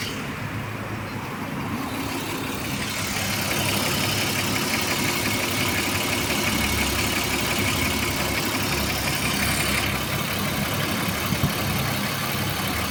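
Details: Light, fairly regular ticking about three per second over a steady idle with plenty of hiss from a BMW E34 M50B25 engine; hydraulic lifter tapping.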